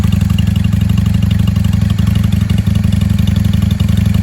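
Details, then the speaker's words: 1995 Honda Shadow 600 VLX VT600CD warming up without choke after carburetor tuning: steady, even V-twin idle thump at about four pulses a second with no knocks or rattles, which sounds healthy and is normal idle. "There it is. She sounds really good. I'll let her warm up and I think I'm going to take her for a spin."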